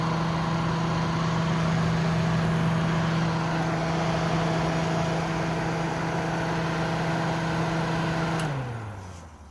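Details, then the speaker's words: Kenmore dehumidifier stripped bare, compressor run then shutdown: steady low hum for eight seconds, then pitch drops smoothly in spin-down; coil cold on both sides; normal run and shutdown. "the spin Down's not too bad it's getting real cold all the way to the top both sides excellent piece of machinery"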